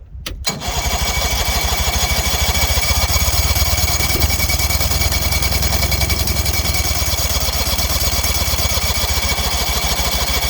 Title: 77 Evenrude 35hp won't start.